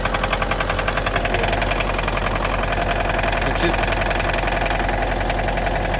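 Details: 2011 Mitsubishi L200 2.5 diesel, automatic, odometer 79,000 km suspected rolled back, damaged body; steady diesel idle with an even knock roughly two a second, cause unknown; engine knock at idle.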